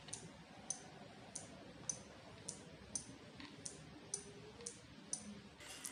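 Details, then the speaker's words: Relay in a drip-irrigation panel box driven by two water-sensor wires, switching on in water and off when the wires are lifted out: sharp crisp clicks about every half-second to second in a quiet room; clean, normal relay switching. "इसको जैसे ही पानी के अंदर डालेंगे तो हमारा relay on हो जाएगा और जैसे ही बाहर निकालेंगे वैसे ऑफ हो जाएगा।"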